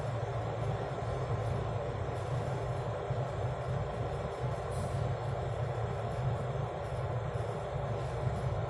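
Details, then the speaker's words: Kettle after repair, previously dead, with only a fuse problem: steady low rumble and soft even hiss, no crackle or buzz; heating water normally. "Okay. So it's now working."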